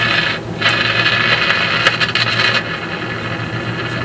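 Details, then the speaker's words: Philco 50-920 tube radio after capacitor replacement: steady hiss with irregular crackles and pops. Owner suspects wet contact cleaner in the sockets; the tube pins are noticeably oxidized and will be cleaned. "sort of getting some noise now well let me experiment with it a little bit more and I'll see may just be that there's still some liquid contact clear in the sockets causing a bit of a problem"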